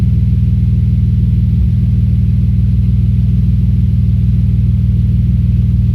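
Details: Audi S4 B5 engine misfire at idle: a low throb pulsing about three times a second with an uneven, loping beat and one stumble.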